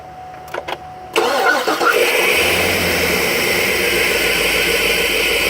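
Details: 2010 Cadillac Escalade ESV 6.2L V8 with a cylinder 7 misfire, starting and settling into a slightly uneven, stumbling idle. Fuel, spark and static compression were good, but a running compression check shows the valves stop moving once running, causing the misfire.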